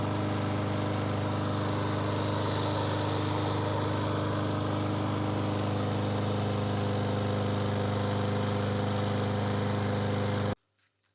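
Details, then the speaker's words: Briggs & Stratton 475 lawn mower after replacing the broken intake tube and carburetor diaphragm and cleaning: starts straight away and runs with a steady, even single-cylinder drone and no misses or surging; healthy. "Yes, it did start straight away and it seemed to run So I went ahead and refitted the carburetor like I did last time, and then test run it."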